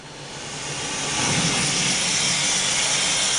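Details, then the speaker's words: Verteq 1800 spin rinse dryer after dry cycle, rotor ramped to 0 RPM and uprighted, door panel kicked: strong nitrogen purge hiss rising over about a second then holding steady, blowing harder than the first time; cassette warm, substrates dry, normal. "You can hear the N2 blowing out much more aggressively than it was on the first time because we just finished the dry cycle. The cassette is warm and the substrates are totally dry."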